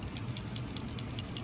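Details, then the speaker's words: Ford C4 automatic transmission governor, removed during teardown: quick metallic ticking bursts when shaken, a steel check ball deliberately added inside the valve seven years earlier to prevent sticking; normal, not factory. "you hear that rattle so what i did is i come in here and i put a check ball a metal ball inside this valve right here right here let me get it out you see it fell out right there"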